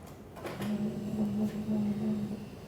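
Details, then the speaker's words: 2007 Hummer H3 3.7L 4WD automatic, rear brake bleeding with key on and brake pedal held: steady low electric hum of the ABS pump module running normally, pushing fluid toward the rear flex hose. "If we listen, we can hear the ABS system, the pump module, pushing fluid, and you should actually feel the brake pressure come through the flex hose in the back."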